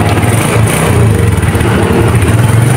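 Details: Suzuki Smash single-cylinder motorcycle after starter repair (worn dynamo brushes replaced; starter drive gear found crushed): steady, even low putter with no knocks, rattles or grinding; healthy normal idle.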